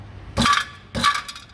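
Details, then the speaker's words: VW T4 Transporter campervan exhaust with a wrong-size aftermarket catalytic converter whose core has collapsed: bright metallic clinking bursts as loose pieces rattle into the muffler while the exhaust is thumped. It needs a new cat. "And of course, when those little greeblies happen, they come back into the muffler right here, which, if the sound will pick it up, just getting more rattle from the front."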